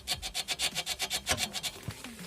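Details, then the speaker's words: Front suspension, arm worked by hand: quick rasping creaks, about six a second. The control arm silent block has separated from its sleeve, while the outer part and seal are intact. "и вот та же история этот момент стороне но что уже есть и вот вот такой звук неприятны она создает"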